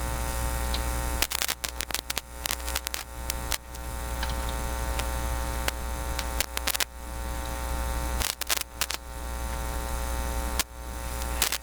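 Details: Philips PH202 tube console record player feeding a soundboard, with the shield not attached to the phono plug and the ground wire unconnected. It gives a steady, loud, buzzy low hum and no cartridge signal; a cartridge-shorting switch is possible but thought unlikely.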